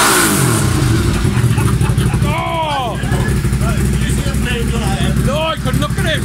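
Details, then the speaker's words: Honda Civic Type R EP3 with K&N filter, short shifter and very loud aftermarket exhaust; loud exhaust revs with an uneven, stumbling beat and irregular pops instead of a smooth climb: bad engine misfire under acceleration. "I just got back from drive you all miss an interest in drive to say the least the misfire issue is it's bad"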